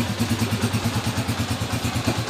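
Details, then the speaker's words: TMX155 motorcycle engine after repair of a persistent engine noise that an earlier rocker arm replacement had not cured: even low putter at steady pace, no ticking on top; runs smooth and healthy, needing only slight carburetor tuning. "Okay na yung makina niya. Konting tono lang sa carburetor mga bro, okay na."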